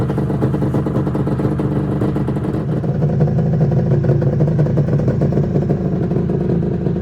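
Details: 1996 Arctic Cat ZRT 600 two-stroke snowmobile after fuel pump rebuild (Vertex kit), cold-started, tilted on tripod: pulls and revs cleanly with steady throaty burble, no misfires or stumbles; fuel delivery healthy, normal running.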